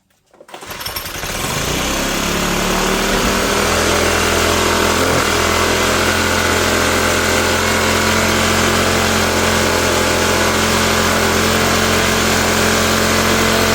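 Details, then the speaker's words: Troy-Bilt backpack blower, first cold start on full choke: catches, then a steady high buzzy roar that never drops to idle. Engine seems to run too fast; owner unsure how the throttle works. "I don't know how this throttle works, to tell you the honest truth. There's a thumb and a deal there. Seems like the engine's running too fast for some reason."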